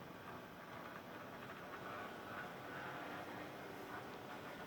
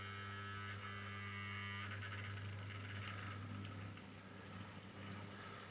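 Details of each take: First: Mehano SNCF 70000 OO gauge locomotive after service: a faint, uneven, scratchy buzzing whirr as it runs. The motor itself is rough and noisy; worm-drive meshing was ruled out, and full disassembly and cleaning didn't fix it. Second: Mehano SD40 OO gauge model locomotive after service and repair (stuck motor brush freed, brushes cleaned) runs with a soft, steady low hum and no knocks or rattles, smooth and quiet, pulling a small rig of box fans.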